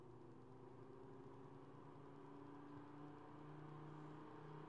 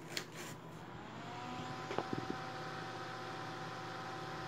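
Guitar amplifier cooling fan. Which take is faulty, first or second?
second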